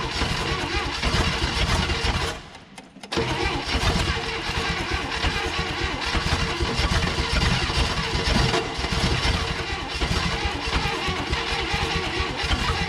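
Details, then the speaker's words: 1960 Chevrolet Impala hardtop abandoned 38 years, cranking with uneven compression between cylinders, choke adjusted: ragged catches that never settle into a run; firing briefly but starving for fuel until the fuel pump is hooked up. "we gotta have our fuel pump hooked up all right let's try out the fuel is all up"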